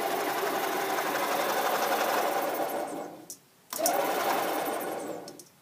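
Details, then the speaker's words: Rebuilt EZGO 295 golf cart engine cranking on the starter without spark plugs, generator belt removed, giving a loud, gritty, bearing-like grinding. The noise is also heard when running; the generator is ruled out and an internal engine bearing is suspected. "i hear a bearing noise to me and you can hear it when it's running as well seems quite loud"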